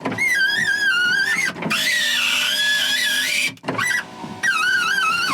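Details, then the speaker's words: BMW Mini Cooper power window after lubing the runners with silicone spray and lithium grease: earlier a high wavering squeal rose and fell through the glass travel, suspected dry window runners; now nothing on the downstroke. "Nothing on the downstroke."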